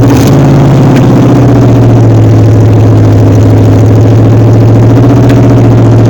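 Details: 1953 Ford Customline with a swapped-in 350 Chevy V8 and no exhaust fitted: loud, fast, steady idle that never settles; cause unclear, with a rocker adjustment or a carburetor vacuum line considered.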